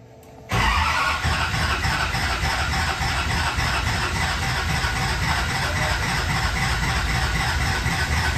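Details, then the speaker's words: Newly built SoCal Diesel twin-turbo 1,000hp Duramax diesel at first fire-up: steady loud starter churning about eight seconds, never fires; owner suspects it's full of air; cause unconfirmed. "not quite firing yet I'm not sure why I think she's just full of air"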